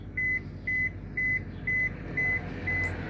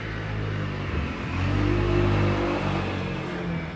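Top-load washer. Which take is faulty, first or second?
first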